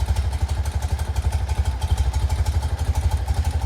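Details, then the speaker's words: 1975 BMW R90S boxer twin after top-end, rod, valve, gearbox and carburettor rebuild, idling cold just after start: even low thump about three times a second, no knocks or misses, clock tick audible; normal healthy cold idle. "Et alors, on va remarquer, maintenant la moto est froide. On va la démarrer. Et tout fonctionne."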